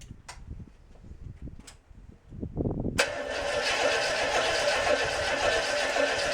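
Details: International 345 V8 at first start-up after reassembly, timing set by ear only: catches after about three seconds into a busy, slightly uneven idle; rough idle, carburetor definitely needs work.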